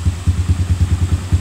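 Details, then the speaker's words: Even single-cylinder putter at about ten beats a second with no tapping from the head on a cold Yamaha YTX125 scrambler after a post-long-ride tune-up; valve train quiet, normal idle. "yan, tahimik na siya mga chong. Tahimik naman tong head natin, pero yan, tahimik na siya, basta mahimik pa. So wala kayong maririnig na lagitik dyan mga chong."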